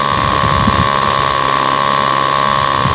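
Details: Model 411 two-stroke engine, stored unused long, carburetor cleaned yet wouldn't start; seals replaced, then started and idle adjusted: steady high idle, even note without misses or surging; normal idle.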